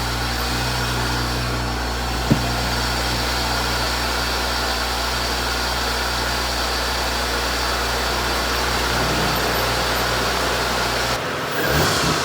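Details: 2019 Audi S4 B9 idling with bumper off after installing Carbnlab intercooler and charge pipes, listening for leaks: even, steady idle with a smooth hum and no hiss or whoosh; no boost leak, engine healthy.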